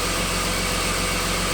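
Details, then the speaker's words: BMW E36 323i M52B25 idling right after an M50 intake manifold swap, first start after sitting a while, warming up: six-cylinder idles evenly with stronger intake hiss, sounds a little different, sucking more air, not running rough; normal idle. "it is not uh running rough or anything uh it sounded a little bit different than usual you can hear it sucking more air in"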